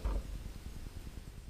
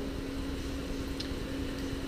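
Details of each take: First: iMac (late 2009–2012) after SSD upgrade, fan control switched from auto to smart mode: only a soft low gently pulsing hum; fan speed drops almost instantly and the annoying full-speed noise is gone. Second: iMac (late 2009–2012) after replacing the hard drive with an SSD: loud steady rushing air and constant hum as the cooling fan runs at maximum speed without drive temperature control.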